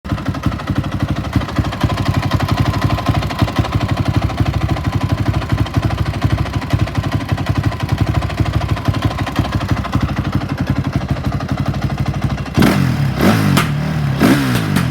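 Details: 2004 Honda CRF450 after cleaning a stuck hot start in the carb: uneven loping idle thump, then crisp revs on throttle blips; runs strong on throttle, owner suspects it needs internal adjustment.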